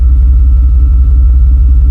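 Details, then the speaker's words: 1994 Suburban with an LS swap, bored intake manifold and bored throttle body, after a TPS sensor swap. Warming up a couple of minutes, it idles down to a deep, steady, even rumble with no surges. Idle is now correct. "It's just starting to warm up and it idled down. That's just right."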